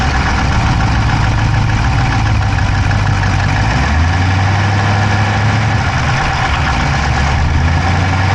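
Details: Dodge Charger Hemi V8 at idle, camera inside the engine bay on the driver's side: rapid, light clicking over a dense, steady idle, keeping pace with the engine; no smoke from the pipes, owner doubts a dropped valve, source unknown.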